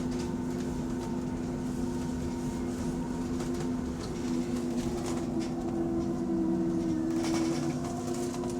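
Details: Electric bus on route 132, heard from inside as a passenger: steady mid-pitched droning whine with wavering tones over road rumble, only while moving and when driver is off the accelerator; cause unclear, unusual whine.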